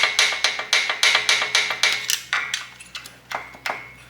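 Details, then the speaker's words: Shovelhead with a loud top-end noise, engine off: each rocker arm is rocked by hand on its shaft, giving sharp, dry metallic clacks about four a second; worn rocker arms with excessive play cause the noise. "so that is the noise you're hearing with the loud top end so all that is is the shaft Your Rocker shaft knocking back and forward sorry your rocker arm knocking back and forward on the sh"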